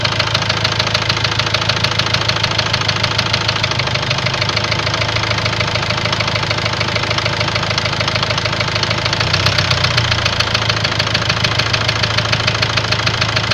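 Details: Ford Transit diesel idling with a sharp, regular knock about three per second over the clatter; scan shows high-pressure calibration data, cylinder balance fault and a leaking injector, plus loss of revs, knock cause unconfirmed.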